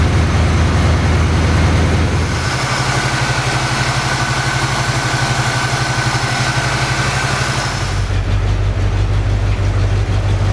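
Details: 1981 Pontiac Firebird Trans Am V8 started after years in storage, cylinders pre-oiled and fuel filter replaced with a little gas in the carb: settles into a steady, even idle with a deep low rumble, no misses, stumbles or knocks; running normally.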